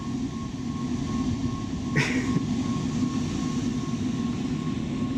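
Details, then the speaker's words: Rooftop (RTU) HVAC unit blower running after repair: blower wheel bearing housing, previously held by one bolt with stripped holes, remounted with newly drilled holes; steady airy rumble with thin constant tone, no knocking, only slight wobble left. "See how much it jumps now. A little still, but at least the blower wheel's attached."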